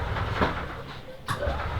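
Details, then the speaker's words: 1991 EZ-GO Marathon gas golf cart, two-cylinder four-stroke, intermittent no-crank (solenoid clicks; suspect worn starter-generator brushes or bad solenoid): strong, even cranking rumble, brief sharp click, then engine runs steadily; cranking sounds strong, normal start. "usually the brushes when they start to wear out the starter generator sometimes will crank slower than it should but this one sounds really strong there we go"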